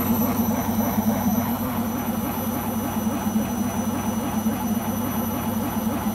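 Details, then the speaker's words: Beko washing machine on its last legs: loud steady roar during spin with low throbbing pulse about 3.5 beats a second; owner suspects the rubber behind the drum, cause unclear. "That was very worrying and I hope it won't do it on the next spin."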